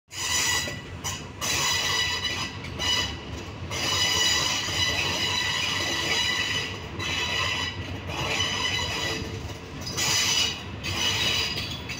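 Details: Train 251 pulling out of Salaya station: loud, high-pitched squeals and creaks come and go as wheel flanges rub against the rail.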